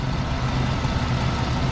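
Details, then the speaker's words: Work truck idling after a dipstick check showing it full: a low, even idle with no knocks, ticks or misses. No leaks were found, and it runs healthy. "Start it up. She's running healthy."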